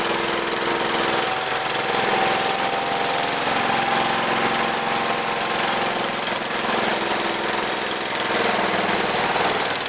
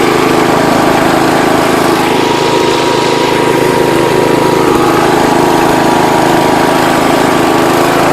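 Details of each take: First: John Deere 210 tractor with rebuilt carburetor, first run in over a year, jump-started on fresh gas: ragged, uneven note that sags and surges at fast idle; rough running, throttle out of adjustment after long storage. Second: John Deere 210 Kohler single-cylinder after throttle fixed and idle/low-speed mixture screws adjusted, high speed not yet set: smooth even fast run with steady note, no misses or knocks; normal running.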